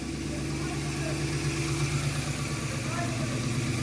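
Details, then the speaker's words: Ford Falcon revival engine idling after fuel leak fix and solenoid connection, right after restart: steady, even low rumble with no misses, knocks or ticks; a possible carb backfire noticed, no leaks. "Holy shit! It's running again! So it's idling!"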